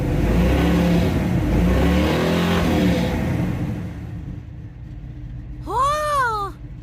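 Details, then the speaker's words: 1983 Chevy Scottsdale C10 half-ton squarebody, foot held on throttle: uneven lumpy running that sags as revs drop and wants to die at idle; owner suspects air-fuel mixture is off; oil pressure still good at 45–50. "she idles down she's gonna want to die anyways we'll shut her off"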